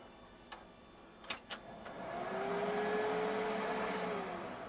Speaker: can hear the fan kind of tests itself before it actually engages the post.